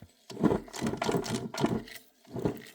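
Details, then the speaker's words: 2013 Mazda 3 manual transmission, removed for clutch replacement: rough gritty grinding in bursts as the shaft is turned by hand, from a transmission bearing run with no oil; a separate throw-out bearing noise was also present. "This transmission has no oil. So what happens when you neglect the oil level? You hear that?"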